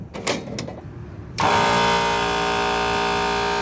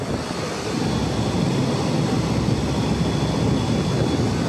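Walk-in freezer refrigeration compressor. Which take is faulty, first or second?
first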